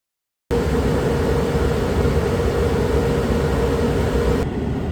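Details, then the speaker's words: Suburban propane furnace in a Dynamax RV after acoustic panels fitted in front of the furnace behind the return air grille: steady airy whoosh with faint hum, no rattles; much quieter than before. "I wish I would have done a test sitting right here prior to the modification but again much quieter than when we started"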